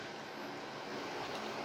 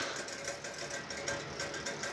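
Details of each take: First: PC powered on after replacing failed EVGA 750 BQ 80+ Bronze PSU (which had ticking, coil whine and shutdowns): fans and both GPUs spin up to a steady, even rush with no clicks or buzz; system posts normally. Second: EVGA 750 BQ 80+ Bronze PSU, about 2 years old, used in a mining PC: faint, quick, regular ticking with thin coil whine. It seems to be the fan hitting something; it worsened over days and the PC shuts down every 12 hours. Suspected, not confirmed.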